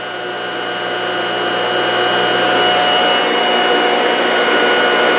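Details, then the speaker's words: Lab-tested generator: steady rising hum with a bright whine from the windings; bearings are really quiet, the noise comes from the stator. "generator self I got the bearing is really quiet so if we can bring down the the noise of that the stator then it will be right"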